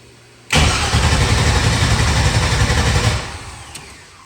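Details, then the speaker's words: LS V8 swap in a truck, oil pressure about 45 psi: starter churns evenly about two and a half seconds and never catches; crank no start, TPS ground wire disconnected. "So I don't know. It's a bummer. I don't know why it won't start."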